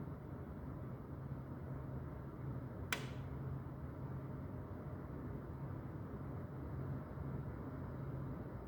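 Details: Lennox furnace, 2021 new install, around 11:30 PM: single sharp loud snap from the ductwork bulkhead over steady low blower rumble, waking occupants at night.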